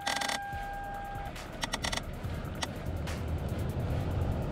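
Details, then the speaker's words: 2003 Lexus ES300: sharp irregular clicks from behind the dash over low cabin rumble and music, traced to a failing A/C temperature blend door actuator; replacement stops the clicking. "Today we have a 2003 Lexus ES300 with a clicking noise coming from the dash."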